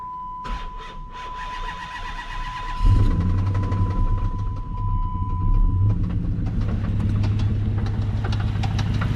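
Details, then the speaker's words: 2005 Dodge Magnum R/T, 5.7 L Hemi: starter cranks, then rough idle with a fast steady tapping from the top end; owner suspects failed lifters, plus a knock that might be a rod bearing. "okay so i don't know if you guys can tell but there is definite tapping up top on the top end that's what you hear there"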